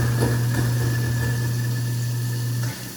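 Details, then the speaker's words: Apartment kitchen garbage disposal after cleaning with ice and dish soap with water running: steady low hum, no rattling or grinding, then winds down; runs smoothly, meaning it is clean and cleared. "And to know when it's cleaned and everything is cleared out, you'll hear it run very smoothly."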